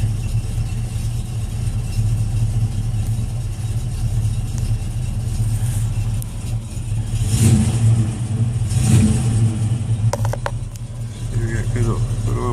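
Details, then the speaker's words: 1968 Ford Mustang, rebuilt 302 V8, Edelbrock 500cfm carb, headers, Cherry Bomb Vortex dual exhaust; started earlier as it dislikes cold starts; deep even rumble with a brief rev blip, no knock or tick. "All right, let's start it up. Doesn't like to start cold, so I started it earlier. Should start right up. To idle about 500-600."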